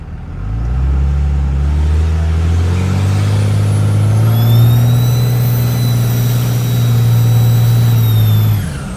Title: Cummins hx35 turbo whine